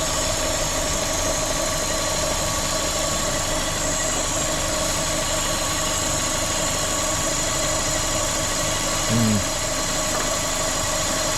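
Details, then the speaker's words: Corsa VXR at idle with engine light on and bogging on acceleration, engine reportedly replaced: constant high airy hiss over a steady idle; vacuum leak from the top of the engine, later found to be a cracked cam cover. "Definitely got a vacuum leak. Right, so I'll just spray it with brake cleaner. There's a boost solenoid down the back as well. It does sound like it's coming from the top here somewhere."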